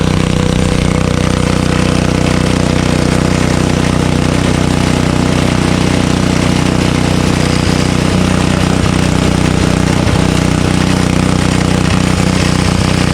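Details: Honda HS520 single-stage 5 hp snowblower, just started on choke after an auger pulley belt replacement. The single-cylinder engine runs steady and even at a constant speed with no belt slip or squeal: normal running.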